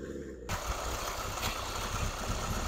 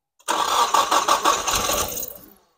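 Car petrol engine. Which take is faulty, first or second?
second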